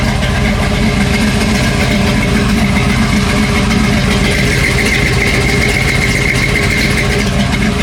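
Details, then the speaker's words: V8 with an aggressive cam, new 4L60 transmission, fresh tune and cold air intake, fuel pressure 60 psi, not overheating: loud, choppy, lopey idle beating steadily without misfires or rattles. Normal cammed V8 idle. "Y'all hear that cam? Sound real good."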